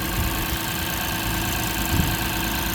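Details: 2006 Lexus IS250 AWD, running after a no-start, no-crank fix with security light still flashing: smooth, even low idle rumble, no stumble, misses or knocks; normal idle.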